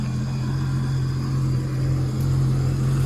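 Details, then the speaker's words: 2010 Sea-Doo RXT 260 with SBT rebuilt engine, tested after water-leak, carbon seal and jet pump repairs, air box off, cold day in mid-40s °F, temperature coming down, no check engine lights: smooth, even idle, steady low hum, no knocks or misses; healthy. "this engine sounds really really good you can see we've got the air boox off right there"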